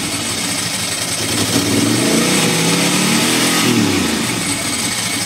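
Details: Ducati Monster M900 ie V-twin, very loud, revving with a stumbling, broken beat as revs climb and drop: intermittent misfire, apparently when cold/wet.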